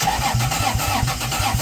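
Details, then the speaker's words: 2JZ engine in a Geo Metro with adapted Chrysler slant-6 distributor, GM HEI module and Ford Duraspark coil, starting attempt: uneven lumpy idle with irregular chuffs and stumbles, all six trying; distributor gear one tooth off and a vacuum leak. "I think we still got a little off somewhere. So, it turns out I guess I have a vacuum leak I need to address, but uh this is the best I can do out of it."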